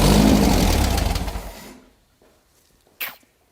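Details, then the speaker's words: VW dune buggy rebuilt 1600cc dual-port engine just after its first start, previously flooded: it runs a moment, the beat sags and slows, then it dies within two seconds; the idle is set too low to stay running. "this looks like this paint is burning off on this stuff which I kind of figured would turn the idle up so it'll actually stay running for me"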